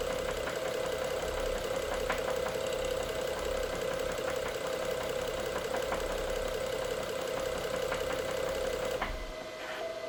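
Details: BMW F07 with the N55 engine at idle: sharp, uneven ticks of roughly three or four a second over a steady idle hum, a knock from inside the engine whose source is unclear.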